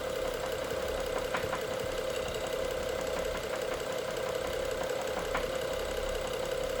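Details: BMW F07 with the N55 engine: steady idle with a light, irregular ticking knock about three or four times a second over the engine hum; cause not determined.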